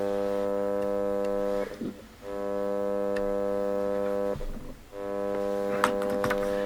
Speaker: you'll hear that buzzing which comes and goes it's there despite whatever you do to the volume